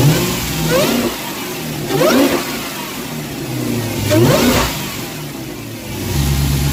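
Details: Dodge Hellcat supercharged V8 with a K&N drop-in air filter replacing the stock one. Three quick throttle blips, each with a rising whine that climbs and falls with revs over a lumpy V8 idle: normal supercharger whine.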